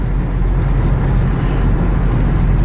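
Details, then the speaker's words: Ford Expedition 4x4 at about 65 mph on the highway: heavy low drone with a rough buzzing throb, worst around 65–70 mph; owner suspects a bad universal joint on the front or rear driveshaft, unconfirmed. "And right now I'm doing about 65 and you can hear the vibration."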